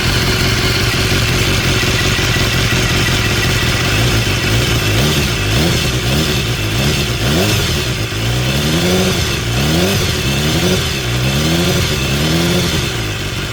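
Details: 2016 BMW S1000R four-cylinder after replacing the hydraulic cam chain tensioner with a manual one, microphone removed: crisp revving blips dropping back cleanly with no cam chain rattle; top end sounds healthy.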